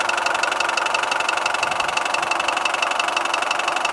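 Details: Mitsubishi 4D56 turbo diesel at idle, new cylinder head, rebuilt injection pump, cleaned injectors, new turbo: sharp single metallic knock ~3/s, loudest at manifold side; valves and rockers checked; cause timing marks shifted by damaged crankshaft pulley keyway.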